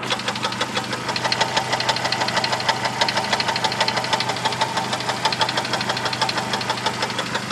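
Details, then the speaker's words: 1998 Jeep Wrangler TJ four-cylinder, engine revved, sharp regular knocking about three per second over steady idle; owner unsure if lifter, piston skirt or transmission, Lucas oil stabilizer added and may have quieted it slightly; source undetermined. "You know, I'm not sure if it's lifter noise. It almost sounds like it might be coming from the transmission too."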